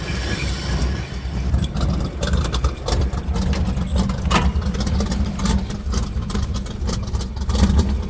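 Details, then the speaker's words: Cold V8 truck with worn rings and a choppy cam: deep even idle with slight cam lope, firing on all eight though running rich and burning oil, only slightly rough; normal idle. "Oh yeah. Sounds way better. See, it sounds like it's firing on all eight cylinders, even though it's dead rich and burning all kinds of oil. Yeah, there you go. It's running perfect."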